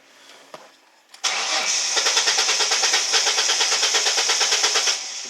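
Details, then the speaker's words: 2000 Ford Mustang with replacement engine computer installed, before key programming; starter cranks steadily at nearly three beats a second but the engine never fires because the immobilizer isn't programmed to the new computer. "all right we're gonna work on getting this car program and I'm gonna show you right now that it doesn't start up"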